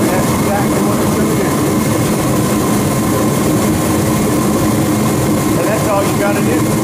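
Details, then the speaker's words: Ready Heater 170T 170,000 BTU kerosene/diesel torpedo heater, owned about ten years, after setting fuel pressure for cutting out with smoke: constant, even fan-and-flame roar, no sputter, pulsing or popping, about three-quarters warmed up; burning properly without stink. "we're about 3/4 of the way warmed up now that's it now we have Heating and it doesn't stink"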